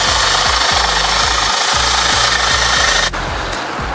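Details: Mikasa 75H jumping-jack tamper with Robin 12D two-stroke, after a no-start fix and a WD-40 flush of the engine bottom, starts and runs: rapid, steady thumping near four beats a second over a raspy buzz; pounding normally.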